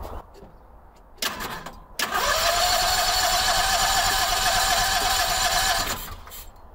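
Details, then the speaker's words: Howard Price Maverick 620 (Cub Cadet) utility vehicle in neutral, parking brake on, fed by a temporary electric fuel pump: a short starter burst, then steady cranking with only faint firing; the engine hits a couple of times but won't catch. Owner suspects a gummed-up carburetor. "i heard it hit a couple times there where's my car cleaner that carburetor definitely gummed up"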